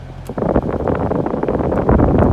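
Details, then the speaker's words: Toyota Prius cabin blower after replacing the noisy, sometimes non-running blower motor (old one only ran when nudged): with AC on, steady rush of air from the vents, no motor whine or rattle; normal blower operation. "now it's on and I couldn't hear any noise and AC is on on let me try the uh blower the BL nice yep only air blowing"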